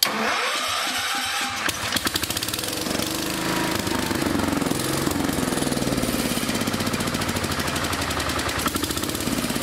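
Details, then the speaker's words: 1974 Power King K-series tractor, first run after long neglect on a temporary fuel pump conversion, auxiliary tank found empty: fast, uneven pulse that stumbles and hunts; rough running, owner suspects the empty tank. "there's enough gas in this auxiliary tank oh no it's empty all right well that may have a lot to do with the way it's running"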